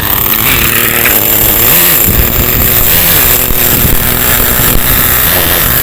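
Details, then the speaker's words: Acme Condor Pro A3001T 1/10 nitro RC buggy, circa 2002–2005, unrun for almost 20 years, engine preheated, just started: high buzzy two-stroke scream rising and falling smoothly with throttle, running cleanly. "Good Start let's get out the road"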